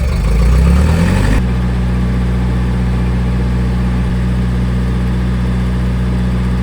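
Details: Old gas-powered Hobart engine-driven welder: after a short surge the engine settles into an even, steady low hum under welding load, no knocks or misses. Running healthy.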